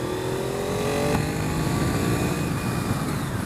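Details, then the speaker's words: 1998 Honda VFR 800 FI, 781cc 90° V4, 106hp at 10,500 rpm, riding: smooth, rising engine note as revs climb high, even and free of knocks or rattles; normal healthy V4 revving. "quand on monte dans les tours c'est diabolique je me répète mais j'aime beaucoup beaucoup beaucoup beaucoup le 4 en ré"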